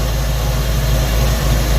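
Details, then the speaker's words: Suzy idling, heard near the exhaust, after the timing was reset to about 10 degrees: a deep steady rumble that is smoother but still has a noticeable miss. "but come check this out near the exhaust dieter picked up on this right away and uh as you can tell she's got a noticeable miss"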